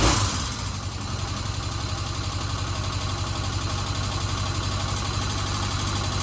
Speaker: So that's it. She seems to be running okay. I'm pretty happy with that.